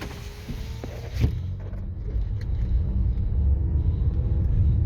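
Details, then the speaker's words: Car interior, windows up, budget RoadX tyres on coarse chip road before swapping to Continental CC7: low continuous rumble building with speed; heavy tyre roar, possibly partly road surface. "I got the road x's on it's quite rumbly could be the state of the roads as well"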